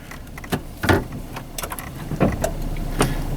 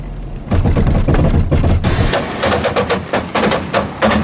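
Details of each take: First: 1998/2003 Chevy S-10 with an intermittent four-wheel-drive complaint, parked in neutral at idle; scattered clicks and clunks as the transfer case shifts cleanly into four low, so the shift motor is likely fine. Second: Chevy S-10 (1998 or 2003) in four-high, creeping through tight turn: sharp snaps and pops about three a second in bursts; no or intermittent 4WD complaint, mechanic suspects front axle, actuator or transfer case not ruled out.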